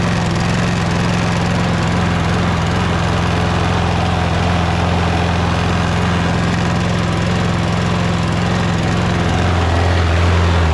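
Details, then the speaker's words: Toro Recycler lawn mower with Kohler XT675 engine running; a faint rattle rides on the steady idle, which the owner suspects comes from the loose, caved-out middle front bumper vibrating. "Well, this bumper in the middle kind of, you know, caves out a little bit, you know, and it's kind of loose. So when the engine's running, I think it makes like a vibration noise."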